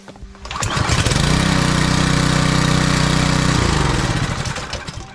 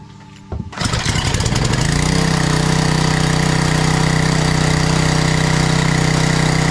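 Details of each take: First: Small four-stroke pressure-washer engine that customer says won't start: one pull, it catches and roars about three seconds, then winds down and dies. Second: Small 4-cycle engine on a pressure washer that the customer said wouldn't start, run after servicing. It fires after a brief pull, settles into a steady even hum, then winds down; starts and runs normally.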